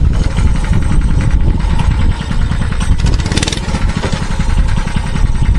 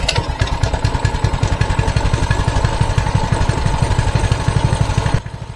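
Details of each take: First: Mini bike that stalled on throttle, now with the governor spring removed: the single-cylinder engine keeps popping along steadily as the throttle moves, without dying; stalling largely fixed, carburetor still to be replaced. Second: Mini bike with the throttle return spring removed: twisting the throttle does nothing, and the small single-cylinder engine stays at a flat idle of about four beats a second; the spring is essential to the throttle-to-engine connection.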